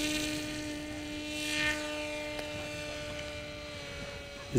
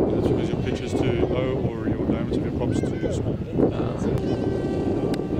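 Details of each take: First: BULLET v9.0 pusher RC trainer plane cruising at half throttle: steady even motor whine at one pitch with clean overtones, quiet, no strain or angry note; normal motor tone. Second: BULLET v9.0 pusher RC trainer plane in flight, 945 prop: high ringing motor note above the pass-by rush; prop spinning too fast and biting too little air, over-revving, suspected due to low prop pitch.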